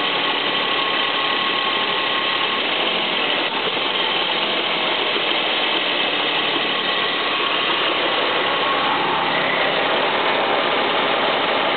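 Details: Ford Mustang idling with an uneven light metallic clacking, about two or three a second, over a hissy background; owner reports one noise seeming to come from the water pump and another appearing after fitting headers; source unknown.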